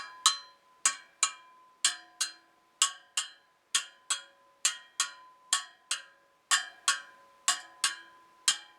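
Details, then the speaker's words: Royal Enfield Bullet 500 rear wheel rebuilt with stainless spokes and a flanged alloy rim, side runout under 0.25 mm. Spokes are tapped about once a second, 20 a side, each ringing the same bright note; even spoke tension. "and then one last uh thing i like to do i just have a listen to the spokes they're all playing pretty much the same note 20 aside so here we go"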